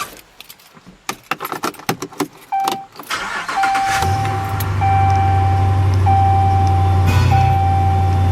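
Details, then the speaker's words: Rebuilt salvage 2014 Ram 2500 with 5.7 Hemi V8, new alternator, power steering pump, AC compressor, idler and belt, no warning lights: a few clicks, fires right up into steady deep even idle rumble, no knocks; healthy. "right up sounds good has the nice hemi rumble"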